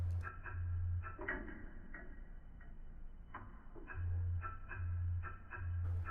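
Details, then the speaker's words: Vibroplex bug keying a radio at about 22 wpm after a non-polarized capacitor was placed across the contacts: crisp single relay clicks with low humming bursts, no contact-bounce chatter on closure. "itor has been placed across the terminals you can see there's no multiple bounces occurring as the switch closes in fact the capacitor is absorbing that energy"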